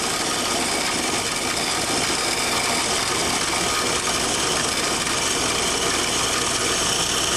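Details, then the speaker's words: Control valve test rig after back pressure is removed: the flow stays a vapor and liquid mixture through the test section, heard as a loud, steady, high-pitched rushing hiss like tearing steam. Valve flashing noise. "again if i remove the back pressure the grid remains a mixture of vapor and liquid through the test section"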